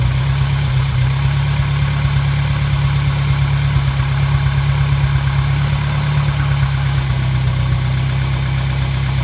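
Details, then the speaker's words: Gehl 3510 skid steer small petrol engine after a new throttle cable was fitted, starting with no choke once the fuel pump primed; a steady, even low drone with no missing beats, idling healthily. "Well, that was just too easy. That thing, no choke or nothing. It just took right off."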